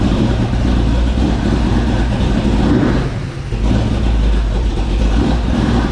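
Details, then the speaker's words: 1970 Ford Mustang Mach 1 V8 with new cam, won't run right during cam break-in, tap in the bottom end: deep rough rumble through throttle blips with dull hammering rising with revs; rod bearings later found slack; rod knock. "we just can't get the freaking thing to run right it's just doing all kind of crazy stuff it's got a tap in the bottom end"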